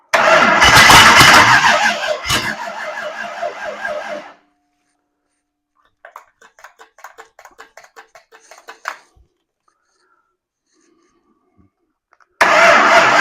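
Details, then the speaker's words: Ford 302 V8 budget rebuild, first start with only a little gas poured into the carburetor float bowls: it fires, runs a few seconds, fades and dies, cranks without catching, then fires again briefly. Stalling from fuel starvation. "Well, it's going to run. It obviously needs more gas than that. Let's work on getting some gas in the carburetor."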